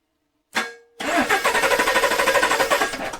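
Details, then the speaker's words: 2021 Chevrolet LT-based V8 with DFM, compression gauge fitted while diagnosing spun lifter: brisk, even cranking with quick high-torque starter whir, no catch or drag; normal fast crank. "So, they set it up to start easier, quicker by giving it a high torque starter. These things crank over so dang fast."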